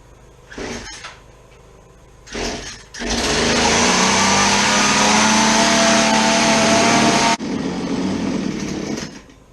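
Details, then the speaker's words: Chainsaw that won't idle, after dumping old fuel: it screams steadily at high revs, then drops to a rough idle and dies within two seconds; the idle speed screw is missing. "it still quits when I bring it down to idle so naturally I would be turning this screw in but it appears is this though the screw is not there"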